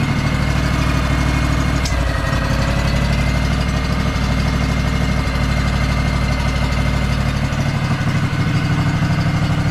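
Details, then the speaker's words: Craftsman DLT3000 lawn tractor, factory Honda 16.5 hp engine, previously no-start, running on its own after manual choke and a temporary piggyback solenoid hookup: deep, steady drone at even speed, no misses, knocks or surging; sounds good. "sounds good wow I can't believe that worked it's like a piggyback solenoid to a solenoid"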